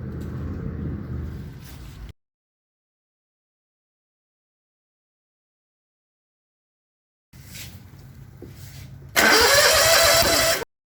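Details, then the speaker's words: 2002 Hustler FastTrak Z 44in zero-turn mower, 18hp Honda GXV610: cranks, falls silent, then a sudden loud harsh blast as flame shoots out the intake; intake backfire from tight valve clearance (spec 0.015in intake, 0.020in exhaust). "okay so this thing here shot a flame out of the intake scary stuff so i'm gonna check the valves on it"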